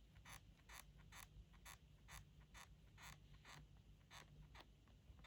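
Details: MacBook Pro 16 M2: sharp dry creaks about twice a second, one with each gentle press on the bottom panel, over a quiet background. Creaking bottom case.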